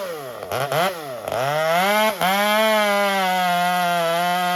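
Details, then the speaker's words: Stihl MS201TC chainsaw with WCS billet muffler, M-tronic adapting and rings still seating: small two-stroke blips up and down, then holds a steady clean high buzz with no misfire or stumble; normal running during break-in. "Obviously we need to wait for this thing to get the rings to seat in. We'll see full performance at that point."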